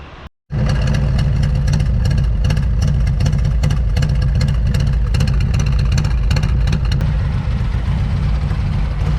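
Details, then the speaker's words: 2019 Harley-Davidson Street Glide with Thunder Max wideband tuner replacing the ECM: deep, loping V-twin idle with a throaty exhaust note, uneven but healthy potato beat, steady with no odd noises; normal idle. "that's the full video of the full walk around on the motorcycle but you haven't heard the exhaust yet so let me let you hear what it sounds like and then I'm going to end the video"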